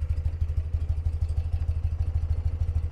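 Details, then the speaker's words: 1982 BMW R100RT boxer twin idling, mic on the person walking around each cylinder; throttle blipped. Even, steady low thump from both cylinders, no ticks or knocks, quiet clean exhaust: normal smooth idle. "it idles super smooth you can see I'll twist the throttle a little bit for you and it just hums right along I'll go around it here the mics on my person so you can hear each cylinder it's very quiet exhaust is very clean"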